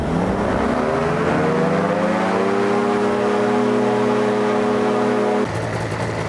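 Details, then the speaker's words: Destiny powered parachute engine during annual/100-hour inspection, after new primer and fuel lines, idle raised and prop pitch set; revs climb to steady clean high RPM and drop back, gearbox not chattering; engine running good. "uh engine's running good I don't hear the uh the gearbox chattered looks good"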